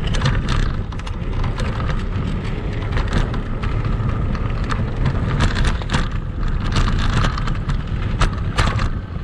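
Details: Kugoo Max Speed electric scooter on sandy off-road terrain, camera on the front stem: steady rolling rumble with wind, broken by sharp clatters and knocks over bumps; noise attributed to the front fork and a squeaking spring shock.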